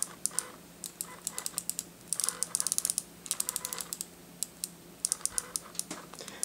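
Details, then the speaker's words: Speedlight zoom head moving, compared with the Shanny SN600N: bursts of quick, light, even ticking; normal zoom clicking, almost unnoticeable in a quiet environment. "I mean that in a quiet environment is is almost unnoticeable of course you hear the clicking"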